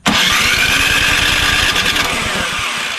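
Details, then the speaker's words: Craftsman snowblower model 247.889571, oil full, good compression, electric starter: cranks at about four compression pulses a second with a few near-catches, choked and primed, but never runs; spark check next. "actually almost sounds like it wants to go I'm going give it some choke prime it choke not quite almost"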